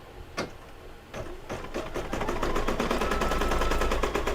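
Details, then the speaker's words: Brother DZ 820E embroidery machine stitching an applique mug rug: crisp, even needle ticks start slow then speed up to a steady rapid rate as the machine regulates its own speed; healthy normal stitching. "Yeah, go Mickey! See, when he slows down, it almost sounds like something's gonna happen. No, they regulate their own speeds."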